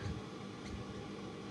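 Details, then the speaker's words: Electrolux/Westinghouse clothes dryer suspected of drying poorly, later apparently fixed by replacing heat sensor (thermistor), running before disassembly: quiet, smooth drum tumble with steady fan rush, no scraping or thumping; no dust clogging heard. Normal running. "sounds perfect i seriously don't think there's anything as far as you know dust clogging it up"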